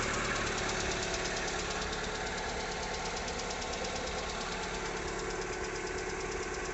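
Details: 2020 Lada Largus with 21129 engine at 3300 km, started cold in the morning: steady light tapping, about three knocks a second over an even hum, intermittent hot or cold; factory-defective cylinder head, replaced under warranty.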